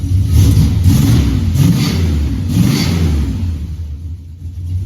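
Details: 1970 Dodge Charger, big-block 383 V8, on the stock exhaust: deep rumble swelling and dropping with each throttle blip, even and smooth; healthy revving.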